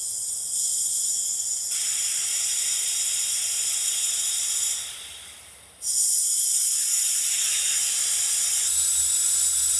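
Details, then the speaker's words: 1991 Cummins Big Cam NT88 in a Peterbilt cab-over, aftercooler pressure-tested with shop air after repair: steady high hiss, briefly dropping then returning, from a boot not seated correctly; fixed, it then held 30 psi boost. "sounds like it's it sounds like it's leaking air"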